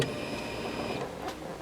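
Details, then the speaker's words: 1999 Renault Clio 1.6 16V after fuel pump replacement, key-on test: brief steady whir for about a second then stops, new fuel pump priming properly. "et voilà la pompe fonctionne super donc on va pouvoir remonter le tout et puis profiter de la voiture"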